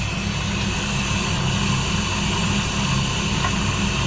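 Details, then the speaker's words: Hoshizaki ice maker with a water solenoid that stuck open and kept filling: recirculation pump just started, giving an even, steady whir over a low hum with no rattle, surging or gargle; pump running normally. "okay I hear the pump just started this is the pump right"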